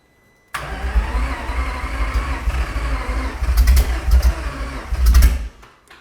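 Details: Aston Martin V12 swapped into Fox Body Mustang, first attempt at running on all 12 cylinders; uneven, labouring cranking churn for about five seconds that never catches. Crew suspects weak battery, not enough juice; cranks but does not start.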